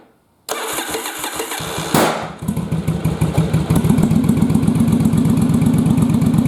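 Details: Yamaha Virago bobber twin running on one cylinder: catches and settles into a lumpy, uneven idle with missing pulses; rear cylinder confirmed firing by timing light, other cylinder dead, fouled plug suspected rather than carbs.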